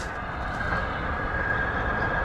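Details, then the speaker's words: Fire sprinkler system being refilled after replacing corroded heads, supply valve opened 12 3/4 turns: even, unbroken rushing hiss with a faint steady tone as water fills the pipe and air bleeds out; normal refill. "Oh, you can hear the water going through there. You hear that? So right now we're filling,"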